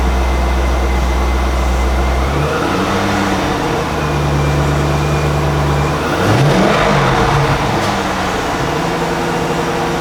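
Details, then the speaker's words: 1998 Chevrolet Corvette convertible Pace Car, 5.7L LS1 V8, 4L60E automatic, stock OE exhaust, hood open: steady deep idle with clean rise and fall on throttle blips, no knocks or misses; normal idle and revving. "We'll fire that motor up just so you get to hear what that LS1 motor sounds like with this stock OE exhaust."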